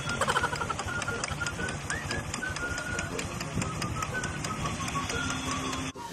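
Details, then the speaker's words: Honda RS125i motorcycle engine running with a quick, even clip-clop ticking like a horse carriage (kalesa); a new damper did not fix it, the culprit found was a cracked internal part knocking. "Sa tunog na yan, talaga mapagkakamalang kang bumabiyahe sa Luneta. Yun tila ba ikaw yung driver ng isang kalesa?"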